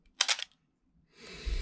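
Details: Canon A1 film camera after oiling gears to fix the Canon cough/squeak: shutter fired at 1/250, one crisp quick double clack of mirror and shutter, no squeak or drag; shutter cycle clean and healthy.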